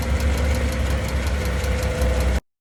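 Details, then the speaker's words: Dodge Caravan / Chrysler Town & Country, phone taped near exhaust flex pipe after catalytic converter while driving: deep rumbling grind pulsing unevenly over engine drone; worn exhaust flex pipe grinding (mechanic not fully sure). "you heard look like a grinding sound under to your chassis or engine or close to your wheel try to figure out first this flexible pipe after the catalytic converter"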